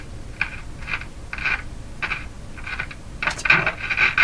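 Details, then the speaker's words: Philco 49-501 Boomerang radio, Canada circa 1949, first power-up before restoration: short scratchy crackling bursts as the knob turns; dirty volume control potentiometer needing cleaning. "I'm going to turn the power off going to clean the volume control make sure it's working properly"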